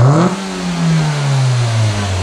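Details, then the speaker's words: Engine on a vacuum gauge, snap-throttle test: sharp blip then smooth return to even idle; vacuum drops to zero then rises above the starting 19, a healthy normal response with no mechanical problem shown. "next I want to snap accelerate the engine on step 3 and vacuum should drop close to zero and then come back up so let's see what it does when I snap it and we can see vacuum comes down to zero and then goes higher than the 19 that we started with"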